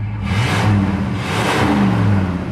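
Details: 1973 Ford F-100 4x4 pickup in reverse: low whirring drone rising and falling as truck moves; drivetrain noise, cause not pinned down.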